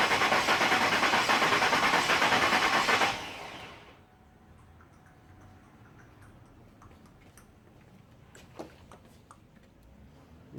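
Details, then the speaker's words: 2000 Ford F150 4.6 V8 with P0301 misfire code, compression test on the second cylinder from the front: even starter cranking about three beats a second for three seconds then stops; same compression, over 150 psi on cylinder one. "alright let's crank this bad boy this is the second cylinder from the front so we'll see it what it is"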